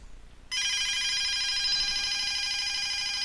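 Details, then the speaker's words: DSE FP-200 telephone, ROHM BA8205 ringer IC fed 20 V DC directly, bypassing LEDs, capacitor, filter and zener: steady shrill warbling ring holds unbroken about three seconds on constant power; ringer circuit works. "there there 20 volts DC directly into the chip which is what it would expect after that filter and zenner and everything so interestingly when that is on we do get like just a con ringing"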